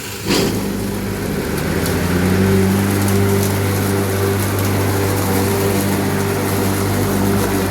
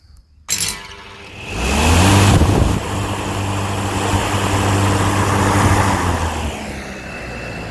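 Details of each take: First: Lawnmower on first test after repair: motor spins up to a steady hum with a wavering, shifting tone as the blade slips on the shaft despite being tight. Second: Lawnmower on test with its blade just refitted, unloaded: motor spins up to a steady even hum and holds it without slipping, then winds down; running normally before the cutting test.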